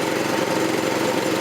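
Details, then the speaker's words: 1984 Troy-Bilt tiller with a 6.5 HP 212cc Predator engine, running on a replacement short-nose spark plug after two bad plugs: steady, even, fairly quiet buzz at constant speed, no misses or surging; sounds same as last year. "It's running though. Sounds good. Fairly quiet. Doesn't sound different from last year."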